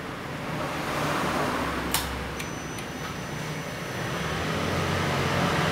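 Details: 2014 Yamaha MT-09 at 28,000 km idles normally with a steady low rumble and no top-end rattle. The cam chain tensioner, noisy since about 6,000 km, is now held by a lightly set M6x25 bolt and nut.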